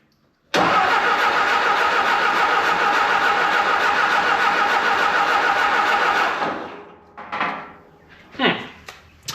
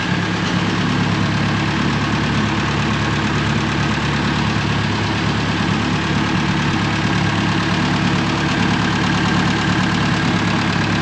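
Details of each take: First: 1950s–60s "doodle bug", possibly a former golf-course or highway mower, with a freshly cleaned carburetor, plenty of fuel and some compression. About six seconds of even cranking at roughly three to four beats a second that never catches; no spark, apparently with no power reaching the coil. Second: 1950s–60s "doodle bug" (possibly a golf-course or highway mower) idling with the water pump not turning and the head around 180°F on thermosiphon cooling. Smooth, even idle with a steady low hum and no knocks, misses or rattles; engine sounds healthy.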